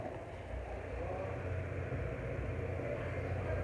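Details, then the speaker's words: Mondial household fan on its lowest speed after the front bushing was replaced and the shaft cleaned: a steady, smooth low hum, and the earlier noise is gone. The blade, taken from another fan, may be warped. "mínimo barulho parou entendeu sei que eu limpei tudo sei que eu limpei tudo né troquei a bucha da frente limpei o eixo fiquei geral"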